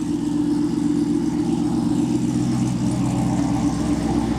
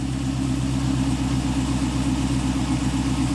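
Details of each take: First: 1986 Pontiac Trans Am LT swap, startup idle after replacing the catalytic converter with a test pipe: loud deep V8 burble with a raspy edge; better tone, exhaust leak seems gone, but still more rasp than wanted. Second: 1986 Pontiac Trans Am LT swap at idle after the muffler was cut and rewelded onto the same mounts: deep, smooth, even burble with steady low rumble, no rasp or popping; much better exhaust.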